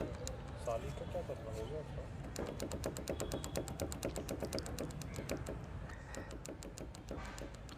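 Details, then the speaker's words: Motorcycle chain and sprocket set at 26,000 km (elsewhere corrected to 32,000 km). Hard sharp ticking at about two per second while running. Dry, unlubricated chain; fixed with chain lube/gear oil. "So guys जैसे कि आपने सुना अभी, इसमें से काफ़ी hard noise आ रहा है।"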